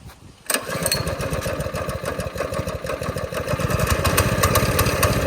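The small single catches right away on choke and settles into a quick, steady putter of about three beats a second; it runs normally.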